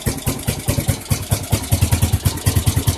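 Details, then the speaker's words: Suzuki GZ 250 single-cylinder motorcycle after carburetor cleaning: thumping idle with a loose, uneven clatter on each beat – valve clatter, valves noisy and needing attention though quieter than before. "It's not gonna be a bad bike once they get them valves to shut up and get her cleaned up."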